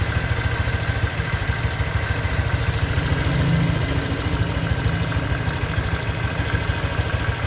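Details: 2023 Honda Vario 125 new scooter at just over 1,000 km, idling: steady, even low putter, no knocks or ticks; owner reckons it runs smoother than at 500 km, crediting correct break-in. Normal idle.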